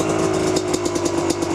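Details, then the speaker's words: KDX250 two-stroke, stock exhaust with spark arrestor, 38 pilot jet, 155 main jet, at 4000-4500 ft elevation, cold on choke after second kick: quick, even ring-a-ding popping with steady tone and no misfires; normal idle. "it idles good now it when it does you guys know two strokes are kind of funny there they're a little weird until they get warmed up good"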